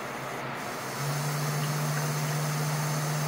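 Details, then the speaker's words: PC water-cooling loop with a 24 V high-head-pressure pump being turned up to full speed to bleed air: steady whirring hum rising louder and higher with faint rushing; noise from air bubbles in the loop. "you can hear the sound of my pump with bubbles in it."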